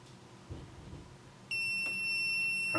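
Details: MPJA 35716 MP battery low-voltage alarm module (9-12V batteries, buzzer and LED) with the set point adjusted to 11.6 V. A sharp, high-pitched buzzer holds steadily because the voltage is below the set point: low-voltage alarm.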